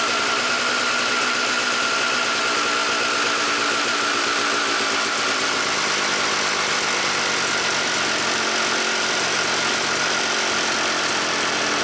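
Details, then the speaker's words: 1997 Suzuki RM250 two-stroke after carb jets were checked and cleaned, choke off: crisp, buzzy, steady idle without stumbling, bike running amazing; mid throttle was a little boggy on a test ride. "And man, would you guys look at that? The bike is running amazing."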